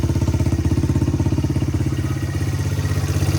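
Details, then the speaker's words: 1985 Honda XR100 single-cylinder, revived from no-spark, idling: steady even low thump, no ticking, cam chain slap, valve chatter or misses, no smoke; normal healthy engine. "Look at that, she idles nice too. Engine's quiet. I don't hear any excessive cam chain slap or anything. The valves aren't chattering. Sounds like your normal XR motor."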